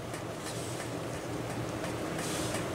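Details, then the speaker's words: Wanhao Duplicator i3 / Monoprice Maker 3D printer fan after repair of a worn-out fan, running at 12 volts: steady, soft whir with no buzzing or rattling, slightly off balance but smooth. "it no longer is buzzing i don't even know if you can hear it yeah it's it's really smooth now"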